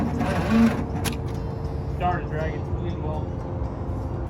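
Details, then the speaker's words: 1986 GMC Sierra in restoration after a new distributor and plug wires: steady low chugging cranking that sags and drags without catching, possibly flooded; slow, dragging starter that ends the day's attempts. "starter starting to drag, fellas. That's going to do us for the day."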